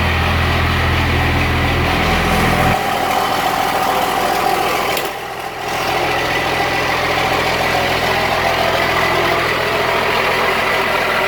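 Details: Cummins-swapped squarebody Chevy diesel truck started after installing dual plastic fuel tanks with one filler neck: loud, steady diesel idle clatter, even with no stumble or surging, doesn't seem lacking in fuel; normal idle.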